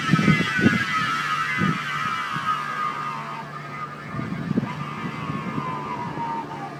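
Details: Chevy Volt drive unit: high whine falling in pitch as the car slows, louder during regen and also present accelerating; worn plastic "B" bearing between electric motor and gas engine, to be replaced with a metal one.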